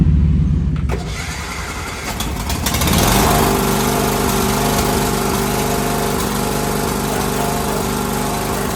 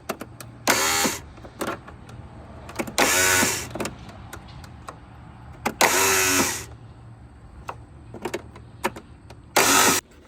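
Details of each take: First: Husqvarna mower with a Kohler Courage engine that would not run (too much compression), after diagnosis and a new starter. It cranks a couple of seconds, then catches into a steady, even run with no knocks or misses: normal running. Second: Husqvarna tractor with Kohler Courage engine, too much compression, won't run; starter solenoid gear stuck engaged. Four short bursts of cranking, each under a second and cut off abruptly, with quiet gaps between. Engine stalls against a broken push rod.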